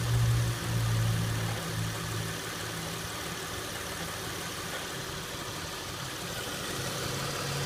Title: 2006 Acura MDX rattle noise at idle.